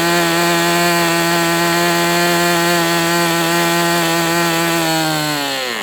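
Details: MDS 68 FS Pro glow engine on a break-in run with an OS No. 8 glow plug: steady high drone sags smoothly back to idle, running cleanly though rich on the low end.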